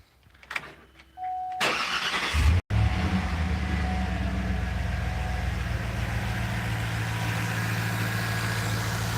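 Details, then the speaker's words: 2010 GMC Denali V8 after engine repair and fresh tune: crank, quick catch, steady even low idle with no knocks or misses, runs smoothly; belt squeaks at times. "we're against the fender right now and it runs nice and smooth so runs great the belt squeaks at times but aside from that it's running really really good now"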